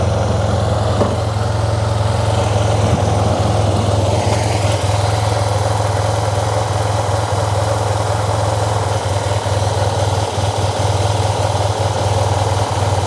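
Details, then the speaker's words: Fuel-injected TMAX scooter after sitting a while, fresh oil added: deep uneven loping idle thump; rough idle, ECU and ignition ruled out, owner suspects the fuel-air mixture is wrong or an air leak. "I know now that it's not an ECU issue but there seems to be some sort of fuel air mixture that's not right it's fuel injected"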